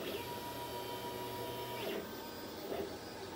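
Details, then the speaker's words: Glowforge laser cutter with a newly installed external fan replacing the loud stock fan, at full power while printing; soft low whir with carriage sweeps, no fan roar. Normal running. "it came on which means it's on and it's at full power you kind of hear it going it's about as loud as it's gonna get"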